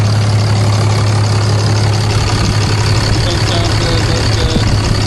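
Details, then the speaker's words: 2012 6.7L Cummins diesel, first start after intake grid heater delete plenum and intake horn install; steady, even low diesel rumble with no knocks, misses or hunting; normal idle. "We're going to go ahead and start it up for the first time and see how it runs. All right, you guys. Sounds pretty good."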